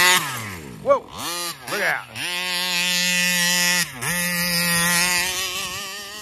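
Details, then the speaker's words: Taylor RC 35cc reed-valve two-stroke in the Punisher RC car, newly installed, tuning at fairgrounds: tinny scream climbs then sags and wavers repeatedly with throttle held wide open; won't idle, owner suspects carburetor (possibly plugged vent), cause unconfirmed. "yeah see I'm not letting off the throttle there guys somebody else is having an issue with it too"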